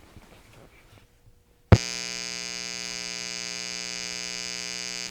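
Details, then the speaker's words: Guitar/PA amp powered from DJI Power 1000 portable power station inverter, mic same position as grid test: loud steady buzzing hum with rich overtones, far louder than slight hum on grid power; inverter-induced hum, unsuitable for amps. "we're definitely hearing a significant difference in the volume. So this would not be a power station that you would want to use for a PA or guitar amp type application."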